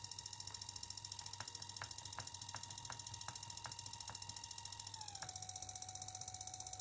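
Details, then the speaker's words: Dual-mode PWM module driving a 3.7 V mini DC motor with the duty cycle lowered to about 15% and the frequency being changed: a thin, steady high whine that drops to a lower pitch about five seconds in. The PWM drive sings at low duty cycle. "تیز آواز جو واقع ہوتی ہے وہ یہ ماڈیول ہے ، اصل بات یہ ہے کہ اصل سرکٹ بنانے سے پہلے اسے تجربے کے طور پر استعمال کیا جائے"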